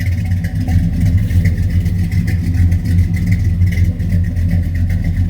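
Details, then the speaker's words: 1967 Chevy Nova SS clone V8 during used classic car inspection: starts right up, smooth, even low rumble with no ticking or knocking; good oil pressure, no smoke, motor nice and quiet. "All seems pretty good. The motor is nice and quiet."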